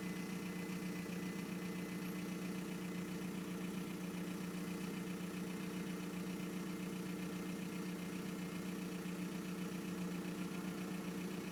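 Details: 1999 VW Golf Mk4 GT TDI AHF diesel with long start-up, loud turbo compression and lumpy rough idle: low, slightly uneven chug with a faint higher hiss over the top.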